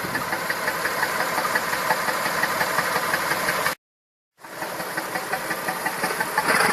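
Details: Massey Ferguson 2645 tractor, Perkins 6-cylinder diesel said rebuilt 100 hours ago, poor power and starting: idle exhaust puffs about three a second, uneven, some weaker; suspected valve not closing properly, low compression in one or more cylinders.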